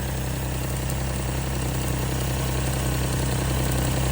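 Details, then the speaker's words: Suzuki Alto Works idling after a breakdown and battery swap; alternator and belt look fine: light, fairly regular snapping tick about three per second over the hum. Owner wonders about spark plug wires, doubts it. Snapping noise, cause unknown. "I'm getting this weird snapping though you hear"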